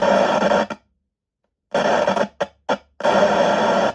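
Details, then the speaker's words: DigiTek DBS200 Bluetooth speaker with no audio, battery normal at 3.9 of 4.2 V: touching the output IC input pins gives harsh bursts of hissing static with silent gaps, showing a faulty volume control that needs replacing. "When we touch from the input pins of the output IC, we can hear a noise. This means something is wrong with the volume button."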